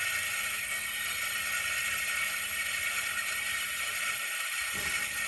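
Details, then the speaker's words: Lexus SC400 with 1UZ V8 on Megasquirt, engine off, new fuel pump running, near-new Denso regulator: loud hiss and whir from the right-bank fuel return line, which vibrates strongly; owner suspects air in the line. "kick that pump on using the mega squirt and man it's super loud over here from what sounds like the return line"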